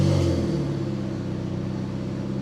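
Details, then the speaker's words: Honda Civic FD exhaust after ~2 months off the road (transmission and catalytic converter failed in January): deep, loud, nearly unmuffled exhaust drone falling away after a rev blip; catalytic converter internals crushed, owner suspects it chokes the engine and raises fuel use. "So ngayon, as of the moment, ngayon, yung catalytic ko, durug-durug ang laman. So ito yung tunog ng exhaust ko ngayon."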